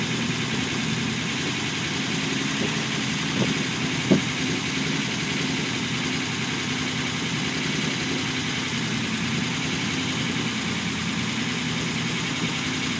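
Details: Unimog 404 first start-up after rebuild with new fuse boards and a rewire: steady, even idle with a smooth low hum, a couple of brief clicks, no knocks or misses; normal idle.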